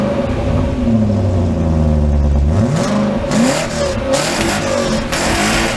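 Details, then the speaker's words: 1995 BMW 530i E34 V8 5-speed, first start after over a month sitting: quick rev blips rise and fall cleanly with no rattle, flat spots or misfires; revs freely and healthy. "sounds not bad I don't hear much of a difference between the three liter and the four liter personally"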